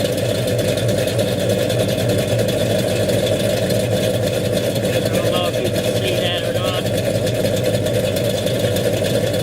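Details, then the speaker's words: 1969 Dodge Dart with newly installed 440 V8, 4-speed, TTI headers, electric cutouts closed: loud choppy big-block idle, steady exhaust pulse, no knocking or misfire; running strong. "I'll crank it up and let you listen to it. Sounds pretty good. Runs good. Sounds good. All sounds good coming out the back."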